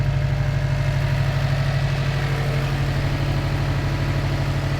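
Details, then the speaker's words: Subaru WRX after fitting a used replacement engine with good compression: smooth, even low idle with a steady beat, no knocks, misses or smoke; engine healthy, though a check engine light came on. "But yeah, it sounds good. It's nice and healthy,"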